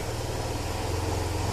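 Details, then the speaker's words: Bike at about 30–40 thousand on the odometer, just started and left to run after the timing chain noise fix: steady, even low thump at idle with no ticking, rattle or unwanted noise. "इस देखो तो को एकदम प्यारी आवाज है गाड़ी की कोई फालतू की आवाज नहीं है"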